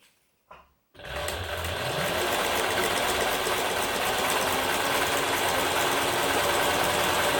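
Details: Singer 107W1 sewing machine with 12-pole servo motor, after belt replacement, set for zig-zag and sewing layered sail cloth: even rapid stitching chatter, about three and a half stitches a second, smooth and unbroken; sewing properly.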